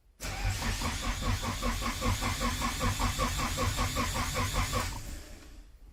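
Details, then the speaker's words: Nissan S13 240SX budget turbo build, first start attempt. Starter churns steadily about five seconds but engine never fires, then winds down; zero oil pressure observed and possibly no oil reaching the turbo, cause unconfirmed. "okay i have zero oil pressure so the issue i'm having right now is i'm not getting any oil pressure"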